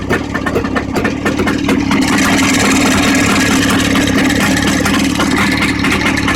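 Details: Jawa 634 twin runs with sharp, uneven knocks about twice a second over its exhaust note; knock deep in the engine, cause not yet clear.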